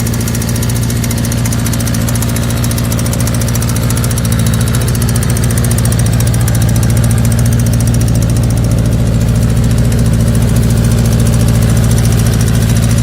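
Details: 1984 Kawasaki GPZ air-cooled sport bike, running after newer battery, fuel line and carburetor work: loud lumpy idle with uneven firing pulses that never settle; rough idle, cause not identified.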